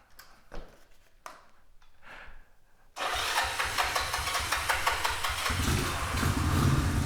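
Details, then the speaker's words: 1969 Honda CT90 with 125 conversion: a few short cranking attempts (the gas was off at first), then it catches and settles into a quick, even putter at idle. It starts and runs normally. "it's a great machine though and it does run watch"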